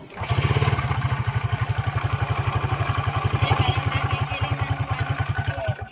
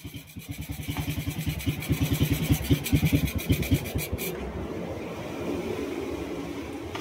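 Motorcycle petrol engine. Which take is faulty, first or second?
first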